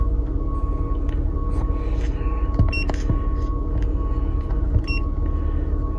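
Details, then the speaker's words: 2009 Toyota RAV4 3.5 V6 2GR-FE after replacing ignition coil #2 for P0352 misfire: steady even low idle rumble with short scan-tool beeps, no stumble; rough idle removed, no fault codes remain. "guys... the rough idle is now removed"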